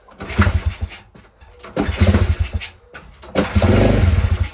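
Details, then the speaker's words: Crashed pit bike, carb just refitted, leaking fuel (owner suspects messed-up float), kickstarted indoors: single fires in short uneven bursts, catches briefly and dies; ran once the idle screw was adjusted, very smoky. "Oh, come on. Why did it start and turn off?"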